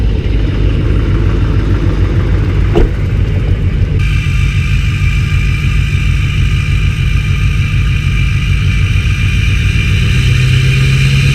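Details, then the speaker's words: LBZ Duramax diesel cold start in snow: clatter settles into a raised idle, then a thin steady turbo whistle joins the rumble; normal cold-start high idle. "oh yeah no problem this dream actually go into high idle mode in a minute start whistling"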